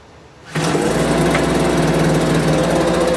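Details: Homelite UT08572 small two-stroke starts and runs at a fast, uneven buzz while the idle screw is adjusted, before a compression test; it won't settle to a steady low idle.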